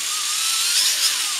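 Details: WLtoys V262 quadcopter; shrill whine whose pitch wavers and surges at full throttle; a newly replaced brushed motor failing after only a couple of flights.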